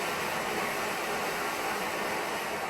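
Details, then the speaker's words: Kovea Booster+1 stove on Primus Powerfuel white gas, primed, running on low setting: steady even hissing roar with no sputter or pulsing; normal clean low flame, though temperature control less delicate than Omnifuel. "that's a low setting. The temperature control is not quite as good as the Omnifuel. It's not quite as delicate."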